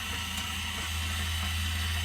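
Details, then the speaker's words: 2022 Zinger 270BH travel trailer power stabilizer jacks extending or retracting on the hold switch: an even, steady low electric whir with a light mechanical hum, no catching or straining. The jack motor is running normally. "this is going to be for your power stabilizer Jacks so you just hold extend or retract"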